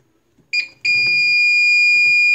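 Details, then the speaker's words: APC Back-UPS XS 1300 desktop UPS, with a new replacement battery, that can't hold a load on battery power. At power-on with the temperature sensor bypassed, it gives a brief chirp, then a steady shrill continuous alarm: F07 system fault (temperature). "fo7 see manual shut that off oh my god all right clearly it didn't like bypass in that temperature sensor so back to the drawing board it is"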